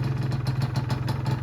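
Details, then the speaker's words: Old Honda NSR150 two-stroke, starts first time, power-valve motor working, cooling system normal: a quick, even ring-ding at a steady idle with no misses or knocks; a normal idle. "คันนี้สตาร์ททีเดียวติดนะครับเครื่องดีมากนะคันนี้"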